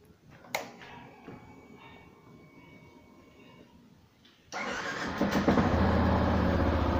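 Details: 2016 Yamaha Fazer 150 engine: quiet stretch, then it fires into a fast, even idle with a faint rhythmic rattle, often mistaken for bearings or cam chain; the stator makes it, and unplugging its white two-wire connector stops it. Fix: replace the stator.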